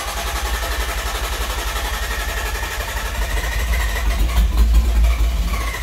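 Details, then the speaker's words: R33 Skyline GTST after cleaning gunked idle air control valve and backing the idle screw out: engine catches, coughs and sputters a few seconds with a little throttle, sounds rich, then settles into a steady low idle; normal start, warming up. "hey all right we win gotta give her a little gas nice she sounds good rich all right there we go she's alive"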